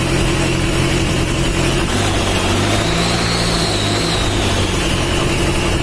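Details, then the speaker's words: Mitsubishi Strada Triton 4D56T turbo diesel, rebuilt after overheating damage, after the injection pump was adjusted and the oil leak fixed: a steady, even diesel clatter settles into a smooth idle with no knocks or misses, oil pressure up; running healthy. "Udah hidup yanur dan olinya udah naik bisa cek lagi kita inrain di bawah dan kita cek Apakah ada kebocoran"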